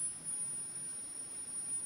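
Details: Home-built Re-EMF charger for 10–11 series NiMH cells (about 15–16 V, around 300 mA), tuned with a magnet; thin steady high-pitched whine over quiet hiss suggests a singing coil. Cause not confirmed.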